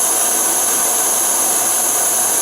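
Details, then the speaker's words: Multi-fuel stove on inverted canister in liquid mode: steady, loud, even hissing roar with no sputter or surging, rip-roaring flame; normal full burner roar. "That's a rip-roaring flame there."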